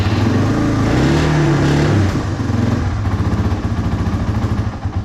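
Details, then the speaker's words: Yamaha 225XT dirt bike, cold, not warmed up, hard starting: single thumps unevenly after the rev drops, beats bunching and stumbling instead of a steady idle; runs rough, carburetor to be cleaned. "So it'll, you know, just runs really rough right now. To be fair, it is still not warmed up, but you know, it should be doing a little better than that."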